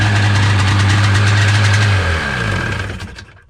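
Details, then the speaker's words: 1996 Seadoo XP 800 two-stroke on day 2 of prep, firing right up: fast steady idle with a strong low drone, then shut off; owner thinks the idle may be a bit high, adjustment left until on the water. "And it does seem like the idle might be a little bit high, but I'm not going to adjust that until we have it out on the water."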